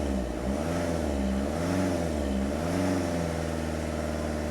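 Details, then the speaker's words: Recovery truck diesel after reseating injectors that caused a helicopter-like sound: wavering whirr rising and falling with revs from a noisy worn serpentine belt tensioner, due for replacement; engine otherwise running well. "so what we've done now apart from the slightly annoying noisy fan belt tensioner which is next to change it now no longer sounds like a helicopter but apart from the annoying Bel perfect that's sweet"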